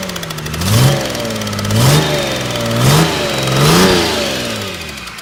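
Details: Mercedes OM606 diesel test run, revved in four even blips with a light repeating tap; owner suspects stuck hydraulic lifter at cylinder 3 intake valve, which looks black; cause unconfirmed.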